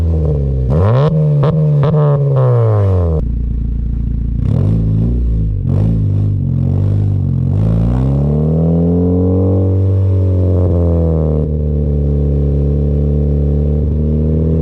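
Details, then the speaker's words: 2015 Honda Civic Si with a newly installed Skunk2 Mega Power exhaust, revved: deep exhaust note swelling with each blip, with a loose tinny rattle riding on it. "So we do have a rattling noise, which is known and common here. So what I want to do is I want to try to see where that rattling noise is coming from, and if possible, absolve it."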